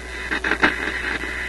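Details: Koronette console stereo tube radio on AM after reconnecting the loop antenna; a constant hiss broken by sharp crackling bursts at one tuning point. Owner suspects a bent tuning capacitor plate making contact.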